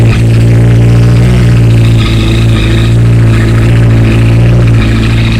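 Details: 2008 Honda CBR1000RR after a thud when shifting into third under acceleration, with white smoke from the triple tree area under hard acceleration: loud running engine with a hard clacking about four times a second; source undiagnosed.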